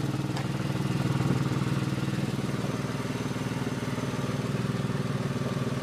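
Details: 2003 Porsche 996 Carrera 2, with a strange sound that appeared suddenly one day: a low steady idle with an even throbbing pulse about three times a second riding over it, source unclear. Abnormal engine noise.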